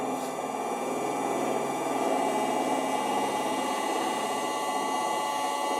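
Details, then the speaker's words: Electric motor newly fitted with a VFD to a vintage wood lathe, running alone at full speed (60 Hz) with the lathe disconnected. Busy mechanical whir with rough chatter over the hum. Owner suspects a worn, egg-shaped rear bearing seat despite new bearings. "And here is what a motor sounds like without the lathe running. This is full speed, 60 Hz."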